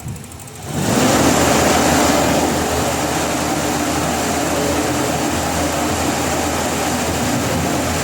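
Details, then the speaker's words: Toyota Revo with delayed throttle response and unstable, dropping idle, revved with hood open to check the spark plugs: steady, even roar with no skips or stumbles. No misfire; mechanic suspects the throttle instead. "And mga boss, kung makikita nyo, matining naman siya at hindi naman pumalya itong makina."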